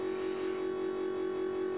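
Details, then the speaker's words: International school bus with T444E engine, key on and engine off; steady low electric hum from the electric brake motor, which shuts off once the engine runs; completely normal. "That noise you hear with the key on is the electric brake motor running. And that shuts off once the vehicle's running. That's completely normal."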